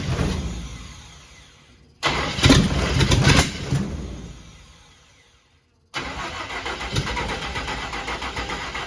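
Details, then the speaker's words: Cab-over van conversion engine, first run after carburetor opened up, on an electric pump: uneven, lopsided puffing with hard popping and a rough catch; owner suspects an exhaust valve adjusted too tight, hanging open, and will recheck valve lash. "I think I've got an exhaust valve down too tight cuz it's popping real hard um when it runs and it sounds to me like one ex valve is hanging open"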